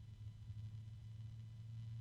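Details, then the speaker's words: PC case fan with low starting voltage, tested against a Noctua: soft steady low hum rising in pitch with a slight harmonic resonance, no ticking, rattling or grinding; quiet, healthy fan. "kind of a low pitch going up oh there's a harmonic there resonance whatever it's not so loud that's pretty decent actually"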